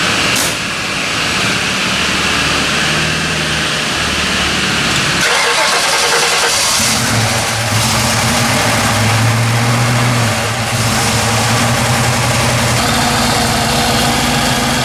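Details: Ford Bronco V8 (Holley Sniper EFI, new header gaskets, belt, new damper replacing a cracked one, fresh oil change) starting: starter cranks, catches in about five seconds, settles into a steady, low, slightly lumpy idle with no obvious knock.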